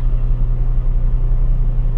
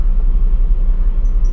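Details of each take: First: Washing machine: motor runs with steady low hum but the drum/pulsator won't turn; belt was loose and noisy earlier, gear worn; drive belt found slipped off the pulley. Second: Toshiba washing machine after fix: loose belt flipped over to tighten it, tub now spins up strongly with an even low hum, no slipping, knocking or scraping; motor fine, healthy spin.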